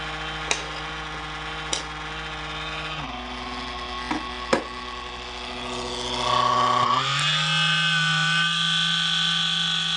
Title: The CoolCold Has Loud Vibration Noises